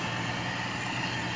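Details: Toyota 5K engine during tune-up (valve clearance, ignition, plugs, carburetor rebuild), idle being set by air screw: low, even drone with no misses, surges or knocks; smooth settled idle.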